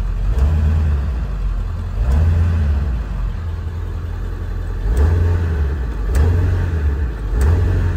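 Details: 4x4 Ford E-350 Econoline 7.3 diesel, in for check engine light and lack of power: several quick clean rev blips rise and fall promptly over a low steady rumble; picks up crisply, responsive; normal revving.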